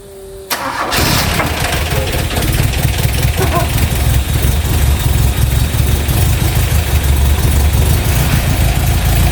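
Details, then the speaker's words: Opel Manta GTE Exclusive abandoned for 30 years, running on 30-year-old fuel: a short crank, then it starts on the first turn of the key and settles into a steady, even idle with a solid low rumble. Engine cranks and starts. "I can't believe that literally first flick of the key what are the chances of that"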